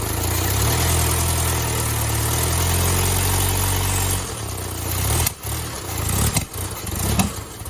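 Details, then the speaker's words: 1972 Fiat 850 Spider engine idling after timing adjustment: low hum that stumbles and surges unevenly; runs better but rough, owner suspects carburetor needs more cleaning or accelerator pump, cause not confirmed. "That sounds a lot better, but I think I might need more of a carb cleaning. Maybe it's accelerator pump."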